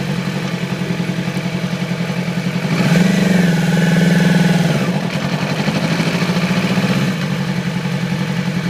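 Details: 2008 Yamaha R6 idling with an uneven, stumbling beat, briefly revved, from a cylinder misfire; little power at low rpm, sluggish at high rpm; faulty ignition coil replaced, immediately back to normal.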